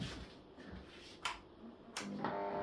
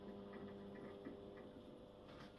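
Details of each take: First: Thorn fluorescent fitting newly fitted with T12 tubes: after switch clicks, a steady hum with a tonal buzz from the ballast that makes noise for unknown reasons; a ballast replacement may come later. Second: Fluorescent fixture with a magnetic ballast for T12 tubes: only a faint, low steady mains hum after felt pads were put under the previously noisy ballast and it was screwed back down; now running quietly.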